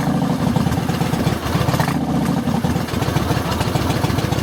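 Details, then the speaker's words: 2007 Yamaha Roadliner V-twin with a little throttle: uneven, faltering pulses and rough running from fuel starvation caused by a cracked fuel pump housing. "Doesn't want to start the first time, so we let it set a minute, and she fires right up. But the idling's bad."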